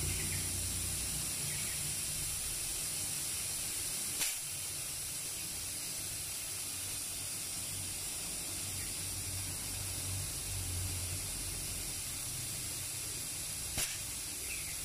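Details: One-door refrigerator modified to run two compressors, long unused, line to the evaporator opened to check for blockage: strong steady hiss of gas with a low compressor hum underneath; good, unrestricted refrigerant flow.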